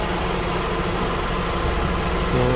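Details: 2004–2005 Toyota Camry after no-crank no-start testing and repair: smooth, even low idle with a steady rumble and no misses or knocks. The battery light came on as expected and charging works, so the engine is running fine.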